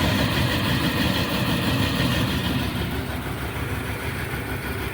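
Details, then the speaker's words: Dodge Ram 1500 with 5.2 L V8, which shut down while driving and then cranked without starting, now idling smoothly and evenly with no misses after a new distributor cap; the bad cap was the problem. Wires and coil not replaced. "all right truck truck is up and running right now so dist the distributor was the problem"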